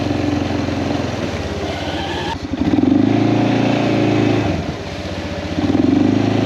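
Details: Kawasaki Prairie 400 single-cylinder ATV after engine rebuild, on a test ride, camera on magnetic base: crisp even thump rising and falling with throttle, no knocks; runs fantastic; carburetor float still needs adjusting; normal running.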